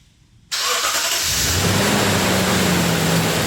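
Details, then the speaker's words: 2017 Toyota Tundra 4.6 L 1UR-FE V8, 75,000 miles, after belt-drive repair with pulleys aligned: cranks, starts quickly and idles evenly with the former grinding/squeal gone; normal idle. "And as you can hear, you don't hear. I'm so funny, huh? We got rid of that horrible grinding sound."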